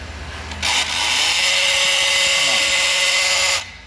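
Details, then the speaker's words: 2015 Honda Fit 1.5 with the ignition on and engine off: a harsh high electric grinding buzz for about three seconds from the throttle body motor, whose gear is broken; a manufacturer update exists for this fault. "a beleza das barulho e acaba quebrando a engrenagem aqui do corpo de borboleta é causando esse contratempo aí no motorzinho e deixando o cliente na mão"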